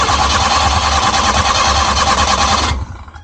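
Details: Suzuki Multicab cranks steadily for about three seconds but won't start, even when pumped and choked; next step is to check for spark and fuel supply to the combustion chamber.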